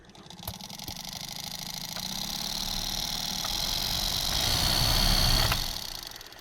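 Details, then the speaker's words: 2003 Mitsubishi Lancer ES blower motor, previously not working and found filled with rat droppings, cleaned with compressed air and tested in accessory mode. It spins up with a rough, uneven whirr and clicks. Noisy but working. "In theory, if I turn this on, it should start spinning. Hey, that's pretty good. So I'm hoping, that sounds like it's gonna be noisy"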